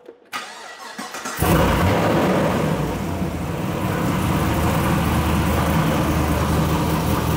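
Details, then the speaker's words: LS V8 Chevrolet Caprice PPV police car after replacing a spark plug: cranks briefly, fires and settles into a steady, even idle. "it's been like a minute there's absolutely no noise I've never had this I mean since the problem started I've never had this"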